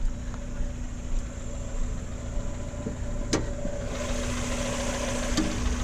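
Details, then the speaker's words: 1994 Mazda Miata MX-5, 79,225 miles, oil pressure rising quickly to 60: steady, even idle with smooth low hum and no lifter tick; engine sounds healthy. "no lifter tick they all have them all these miatas have it not this one sounds beautiful"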